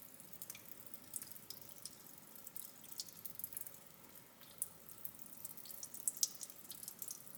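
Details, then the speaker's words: VW Touareg 4.2 V8 with a holed block, engine off: coolant poured in runs straight out underneath in uneven drips and splashes from what looks like two leaks, one substantial; coolant leak. "Okay, so we've definitely got a leak. That looks like coolant. Looks like we've maybe got 2 leaks. That one's quite substantial."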